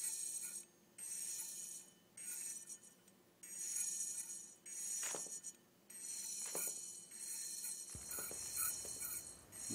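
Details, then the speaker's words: Hitachi Deskstar 7K250 hard disk with head crash, powered on: thin scratchy high-pitched squeals in bursts a bit over a second apart as a head drags over the platter without its air cushion; head crash. "But when this air cushion is gone for one of the heads, then that head will drag over the surface and create scratches and make screeky noises."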